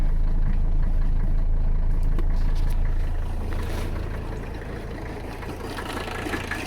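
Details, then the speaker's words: 1985 Mercedes 300CD diesel just after a cold start at about 40°F, following a fuel tank cleaning. Low, even clatter at about 160 beats a minute, settling slightly as it warms; steady idle with no stumbles. "it's now about 40-something out let's see if she goes reliable she's a beaut isn't she"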